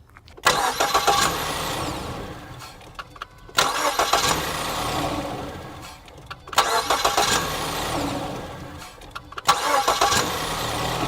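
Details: 2014 Ford Escape 1.6 L, intermittent fault: four short cranking bursts with a harsh metallic rattle, engine not catching; sensors place the noise at the front engine timing cover, cause not yet found.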